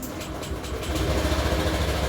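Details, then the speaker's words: 2015 Honda Beat injection scooter, rough engine sound after running low on oil: gravelly idle rumble with coarse grinding; worn crankshaft bearing confirmed on teardown, showing signs of dried-out oil, connecting rod also checked. "Kalau dari suaranya si garing-garingnya ini udah bisa dipastiin lahar krek as ya udah kebuka semua ya turun semua ini kelihatan jelas ya bekas pernah kering olinya gitu."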